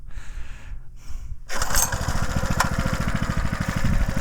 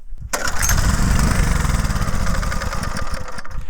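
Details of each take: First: Homemade mini tractor with 6.5 hp Harbor Freight Lifan engine, started on choke after float bowl refitted: catches on the first pull and settles into quick, even thumping with no misses; healthy small engine. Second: Homemade mini tractor's 6.5 hp Harbor Freight Lifan engine: catches on the pull, runs roughly a few seconds, then sputters and dies, even on choke; owner suspects fuel starvation, and the carburetor float bowl holds old gas goo.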